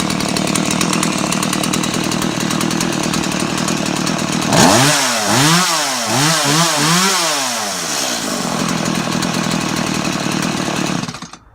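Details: Stihl MS 180 chainsaw after rebuild, carb adjusted, bar and chain hung, oiler fixed: steady idle, then four or five clean rev-ups dropping back to a smooth idle; healthy running.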